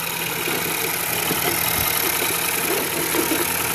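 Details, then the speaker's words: 2017 Ford Escape after a shop engine replacement, with an unfound fuel odor: steady, even idle hum, somewhat hissy, no misses or knocks, running considerably better than before. Finding: normal idle. "I want to start it up I doubt that I'm going to see an actual leak but let's give it a go Run's considerably better than the last time I've seen"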